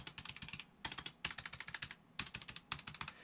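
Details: Roccat Vulcan 120 Aimo keyboard with Titan switches, upgraded with Tai-Hao PBT keycaps: quick bursts of crisp, even clacks, several keystrokes a second, clean and uniform. Normal keyboard typing.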